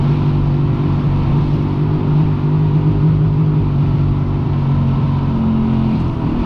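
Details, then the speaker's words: Freshly rebuilt Yamaha XLT1200 jet ski engine being run in gently at about 5,000 RPM on the water; even, steady buzzing hum at constant speed with no misses, knocks or surging; the engine runs cleanly. "As you know, you got to run an engine in, so I'm not going to push this ski too hard today. But hopefully you can see on the tack and the speedo about 5,000 RPM, so I'm happy with that as a running RPM."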